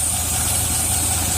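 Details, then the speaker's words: Land Rover 4.0 V8 that stalled once warm, now idling smooth and even when warm after the idle air bypass screw was opened three turns (cleaning the idle air control valve did not help); a faint vacuum hiss is heard. "look how nice it dialing now before wouldn't even idle when it was warmed"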